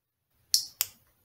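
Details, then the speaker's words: Toyota transmission shift solenoid bench-tested for P0741/P0751: two crisp clicks when energized after being disconnected for 30 seconds to a minute; the solenoid works properly and is in good condition; normal shift solenoid click. "I hope you guys heard that click see you have to disconnect it completely to click if you want to hear that click again otherwise you won't be able to hear it so this one this shift solenoid is in very good condition"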